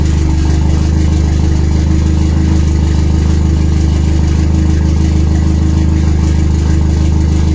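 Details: RWD turbo Nissan Micra with K10 conversion, first start after fixing a failed injector O-ring fuel leak; deep, lumpy tractor-like chug about three beats a second with silences; rough idle.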